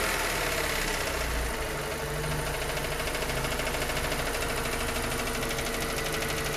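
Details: 2023 Suzuki Ignis Hybrid 4x4, K12D 1.2L: light ticking roughly three per second over a steady cold idle, disappearing as the engine warms; source not yet pinned down.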